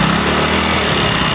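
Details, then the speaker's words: Hero Splendor Plus single-cylinder bike after timing chain set replaced to cure chain rattle, started and lightly revved: runs smooth and even with no chain noise; healthy engine after repair. "ये देखिए timing चैन की बिल्कुल आवाज नहीं है"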